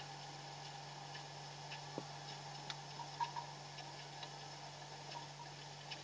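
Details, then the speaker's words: Refrigerator compressor after refrigerant recharge, filter vibrating slightly and cold spreading down the evaporator: a low steady hum with faint ticks. Normal running, with no clog. "Oke Anda bisa dengar suara sudah freon saya tambahin suara Tetap bunyi"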